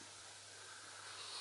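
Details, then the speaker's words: Kinter MA-200 amplifier driving Wharfedale Diamond 9.1 speakers: steady high hiss from the speakers with nothing playing, present from switch-on; filter capacitors need replacing. "and it's something that you'll hear straight away as soon as you switch this amp on is the hiss"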